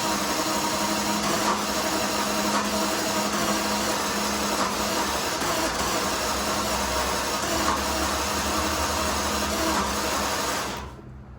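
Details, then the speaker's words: Jaguar XJS first start attempt after priming the fuel pump 5–6 times: steady starter churn of about four beats a second for eleven seconds with no firing. Owner wonders if it is out of time but doubts it, feels one cylinder catching, and plans an injector test. "It's almost like it's out of time or something. I don't think it is. It's not dieseling. It's just kind of, it's almost like one cylinder is catching."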